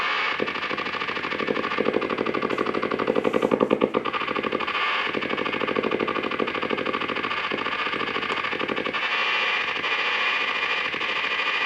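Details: Blaupunkt Florenz shortwave/AM/FM radio, probably 1960s, with broken dial strings; rapid even putt-putt pulses, several per second, steady low throb through the speaker, motorboating. Owner suspects a capacitor or bad connection; not confirmed.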